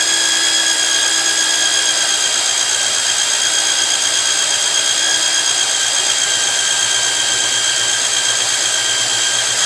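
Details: Magnetic drill used like a drill press, drilling steel plate with cooling lube; steady high motor whine with faint low hum beneath, cutter biting evenly through steel, normal cutting.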